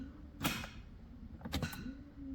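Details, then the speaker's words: Honda Civic EG3 hatchback with a Mini-me VTEC head swap, long sitting, with a weak battery and dim lights: three sharp starter clicks about a second apart, faint fuel pump hum, no cranking; weak battery suspected. "Okay, the starter is clicking, but I can hear the fuel pump running when I try to crank the engine."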